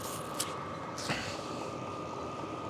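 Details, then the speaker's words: Sunster 5 kW all-in-one diesel air heater on maximum/level 7 after fitting a shorter exhaust hose following earlier overheating: soft steady fan rush, constant mid tone, no surging; running normally. "it looks like everything is normalized I have a maximum running right now"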